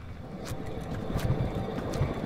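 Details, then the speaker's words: Truck with a 5.4 V8 and 280,000 miles, shimmying at highway speed, jacked up: the hand-spun left front wheel gives a low, rough rumble with scattered ticks from a worn wheel bearing needing replacement. "yeah rightly it's gonna need a left front wheel bearing effect wheel bearings to wear out with 280 000 miles"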